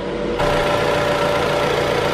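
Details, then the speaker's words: Jeep Renegade after radiator cooling fan replacement, engine idling and warming from 91 degrees: steady airy whoosh with light hum, no rattle or scrape, new radiator fan running normally. "kind of hard to see but the fan is running right now and"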